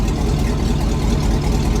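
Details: Old truck V8 with 4L80E, now running after the VATS system was deleted with HP Tuners: deep, even rumble at idle with a steady beat and no misses or knocks; normal idle.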